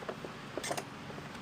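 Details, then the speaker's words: STIHL BR800X backpack blower with a stuck engine, turned slowly by hand after debris is cleared: short, creaky squeaks. Possibly something is rubbing back behind here; cause not yet confirmed. "You hear that squeaking? That could be back behind here from it rubbing up against here."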